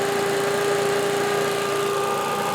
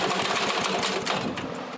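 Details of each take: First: Old Lindell Litter Gitter yard vacuum's small engine, after new carb gasket: steady high buzz at an even pitch, then easing smoothly down as the throttle drops; running cleanly. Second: Lindell Litter Gitter yard vacuum engine, spark present, carb already cleaned: quick rattling pull-start cranking catches briefly and fades, won't keep running; owner suspects the carburetor needs a new diaphragm, gasket and spring.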